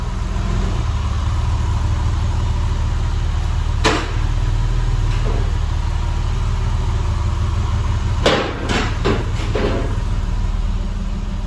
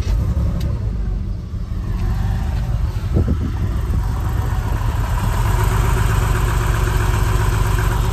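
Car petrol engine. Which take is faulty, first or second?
second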